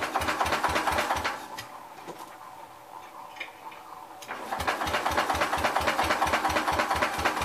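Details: Old Cub (1953 or 1963) engine finally runs after sitting, throttle wide open, dust still inside: slow uneven chuffing about three a second, fading then picking up; running rough.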